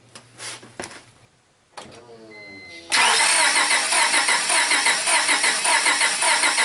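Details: 2000 Honda with a crank-no-start and a bad distributor (bare, deteriorated wires): a couple of quiet clicks, then the starter spins the engine in an even, steady rhythm without catching. Cranking itself sounds normal.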